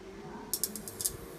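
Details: Rice cooker, 220 V 40 W, after fitting an 820k resistor and starting to boil water: faint steady electrical hum with a few light ticks, no repeated relay clicking; heating normally.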